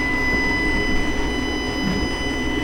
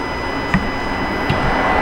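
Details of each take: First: 2018 Dodge Ram Hemi V8, CEL on and cruise control faulty: at idle with cylinder 1 deactivation solenoid commanded, no clicking heard, only throttle body high whine; solenoid suspected faulty. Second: 2018 Ram 5.7 Hemi with the check engine light on and cruise and Eco not working: the MDS deactivation solenoid on cylinder 7 gives two faint, crisp ticks over the throttle body hum; normal, unlike silent cylinder 1.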